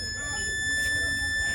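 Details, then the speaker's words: Fluke 116 multimeter that won't power on, with power hooked up to it and no visible shorts or burnt parts: a thin, steady high-pitched whine or hum from the circuit. Cause unknown. "That's why it's making that humming noise like"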